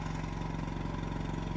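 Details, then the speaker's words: Backup diesel generator carrying the whole building load during monthly testing, steady even drone with constant low hum, no knocks or misses; it shut down on the first start attempt for unknown reason, then ran normally. "so the building now is being ran completely on generator power see no problems in here"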